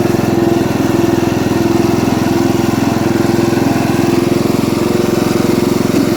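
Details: Ford LT80 riding mower, single-cylinder, recorded on a test drive before loading it. The oil was full of gas, probably from the carburetor misbehaving, and it won't shut off with the key. Steady running with an even tick about three to four times a second; cause not yet found.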